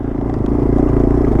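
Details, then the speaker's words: Yamaha TW200 single-cylinder riding dirt roads in the mountains above Colorado Springs: a rough, uneven beat with irregular pops and sputters under way. The rider hears and smells it and wonders about the carburettor, but the cause is not confirmed. "pooping and a peppering, but it's doing it. Oh man, I can hear it, I can smell it. I don't know, I'm not the carburetor doctor."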